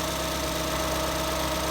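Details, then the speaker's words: 2014 Ford Escape 1.6L with solid lifters, first start after head gasket replacement with valve clearances checked: light, quick, even valve ticking over a smooth idle, normal solid-lifter noise. "Little solid lifter motor. You hear the little valve mechanisms working in there because there's no hydraulic lifters on this motor."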